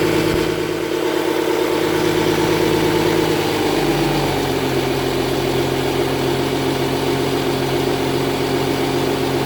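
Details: 2010 Audi Q7 TDI diesel idling with check engine light on, a raspy puffing chuff over the steady clatter from an exhaust leak near the engine.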